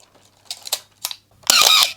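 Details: Canon AE-1 Program film camera before lubrication: winding and firing with a squealing, drawn-out shutter cough from dry shutter gears.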